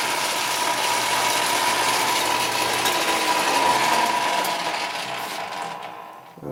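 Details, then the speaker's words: Atlas ten-inch lathe after quick-change gearbox retrofit, carriage feeding toward headstock: loud continuous metallic clatter with faint steady whine, gear whine and rattle; owner suspects worn die-cast compound gear in gearbox or die-cast tumbler gears; slightly quieter in reverse. "There's one gear inside the gearbox that is still die cast, a compound gear, and it's pretty worn, and I'm kind of wondering whether that's not the cause of the noise or whether it's the tumbler gears that are causing it, because they're still die cast."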